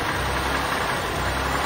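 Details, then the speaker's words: 1986 Oldsmobile 98 Regency Brougham after carbon was cleaned out and the injector harness and throttle position sensor were reconnected: fast, constant, slightly rough idle; owner attributes the high idle to the carbon cleaning. "so it's going to idle high obviously because uh i just pushed all that carbon"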